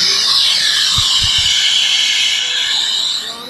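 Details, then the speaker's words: Nebraska boiler during startup after main gas valve opened and bypass closed: steady soft high hiss from a vent left leaking to purge air from lines, no banging or surging; normal. "so i just got a little whisper coming out of there and that will get rid of any air that might just go left in the lines coming we let it leak all the time"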